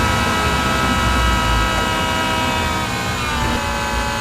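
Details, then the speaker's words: 1965 Mustang with original tank replaced by a fuel cell and rigidly mounted external electric fuel pump; steady high whine over the running engine warming after battery disconnect, pump noise transmitted into the body, before fitting insulators; fuel pump whine. "I put in a fuel cell with an external fuel pump but I didn't really realize how noisy that fuel pump was"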